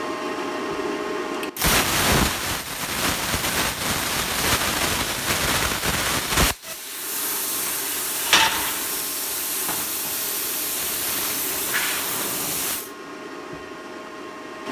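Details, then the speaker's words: Brand new plasma cutter sold as faulty, air hooked up with no leaks, cutting: steady even hiss and roar for several seconds then stops cleanly; works fine on test, intermittent fault still possible. "that seemed to work fine let's just try it again just in case"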